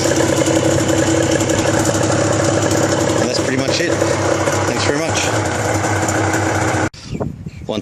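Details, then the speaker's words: Suzuki RGV250 two-stroke, 43,000 km, cold engine on full choke: busy, crackling idle held steady and slightly fast, no knocks or misses, both exhaust pipes smoking evenly; a healthy normal cold idle. "exhaust pipes are smoking evenly a little bit high at the moment that usually goes down soon choke is fully out"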